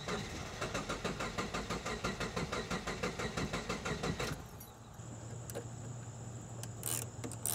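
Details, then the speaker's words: Car cranked with the fuel pump fuse pulled to release fuel pressure before replacing the fuel temperature sensor in the fuel pump assembly: even starter cranking at about five pulses a second for four seconds, never catches. Crank, no start. "Crank it a few more times and that will release all of the fuel pressure in the system."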